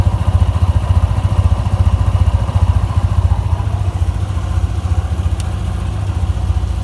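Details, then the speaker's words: Tigra 150 scooter after replacing camshaft, valve rocker arms, cam chain, guide and tensioner to cure metallic tapping: even, steady low putter about three to four beats a second, no metallic tapping; quiet normal idle. "现在声音都正常了，那个金属的敲击声，那个声音现在都没听到。现在引擎声变很安静。"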